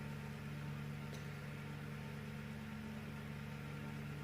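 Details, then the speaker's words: AC fan motor salvaged from a broken room heater, bench-tested on a variac at its 220 V nominal: smooth, constant low hum, no rubbing or rattling; normal running. "let's go 230 volts so even if this voltage Namur works nicely no problems at all"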